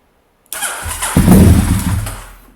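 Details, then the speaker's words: Honda SP1 motorcycle restarted cold after restoration, fresh oil, refitted oil cooler, little fuel, choke not yet pulled: cranks, catches briefly with ragged firing, dies within two seconds; runs well once choke/fast idle applied. "i've primed the fuel pump once to make sure nothing leaks on the floor [Music] i think we'll do that again because it makes funny noises it gets the air out of itself i've not got a vast amount of fuel in but hopefully it'll light my fire"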